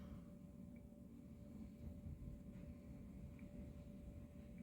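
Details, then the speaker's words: 800 watt Chinese wind turbine after 4 years of use, heard from beside the battery bank: quiet, steady whine at one even pitch over low wind rumble as it spins up in a gust. It is running normally. "oh, she's whipping. I can hear it."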